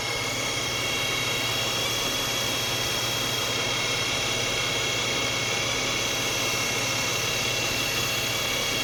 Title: '11 Xterra whining noise